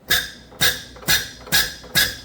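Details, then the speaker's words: Hyster R80 forklift diesel injector on a pop tester, reset from dribbling early, not atomizing, to proper opening pressure: crisp squeaky chirps about twice a second, clean and even; injector set as well as possible, engine will run. "that's very nice. That uh that injector is set up as good as it can be for what it is. Um that engine will run like this."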